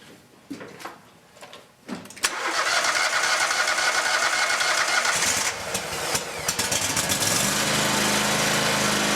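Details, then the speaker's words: Scag Tiger Cat zero-turn mower, carbureted twin-cylinder Kohler Command Pro 27 gasoline engine, after replacing a blown 20 A charging fuse: cranks, catches and climbs to a steady full-throttle roar without knocks or misses; battery rises from 12.1 V, now charging. "As you can see from those voltage readings, replacing that burnt fuse, the charging system is now charging the battery."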